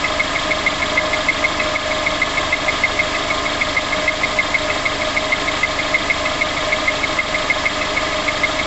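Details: VX19 engine on start-up, at idle: crisp light tick about three times a second, steady and evenly spaced over a smooth idle; top-end tapping noise.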